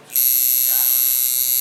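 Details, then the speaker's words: Cheap Chinese coil tattoo machine run at about 5.2 V: a high, buzzy whine that runs inconsistently, with a flimsy build and excess vibration. "it's running what [Music] happens you see what it's doing inconsistent"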